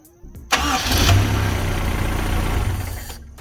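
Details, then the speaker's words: Toyota KE10 Corolla first start after fitting a new cap, condenser and points and fixing a fuel line that wasn't drawing from the tank. Short crank into a steady, smooth idle with no knocks; the temperature didn't climb and nothing leaked. Healthy. "so as you can see it's idling running pretty well the running went really well it didn't climb on the temp gauge nothing leaked"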